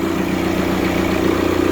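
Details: VW Passat B6 1.9 or 2.0 diesel at idle with heavy droning hum and constant shaky belt vibration, worst at low revs; failed alternator overrunning clutch pulley.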